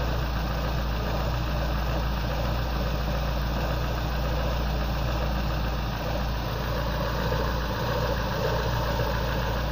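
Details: Engine after DIY repair of crankshaft keyway for lack of power: steady, even idle, constant low drone from the exhaust pipe, no knocks or misses; normal idle.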